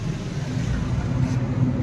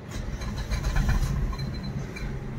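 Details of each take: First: Suzuki Baleno revved after the bent silencer, which had been touching the body and causing vibration noise at idle, was moved about 1 inch away: smooth steady engine note with no rattle or buzz; noise gone. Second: Suzuki Baleno at idle just after start: light buzzy rattle riding engine vibration, also heard inside the car; caused by a strip touching the silencer, fixed by bending it away.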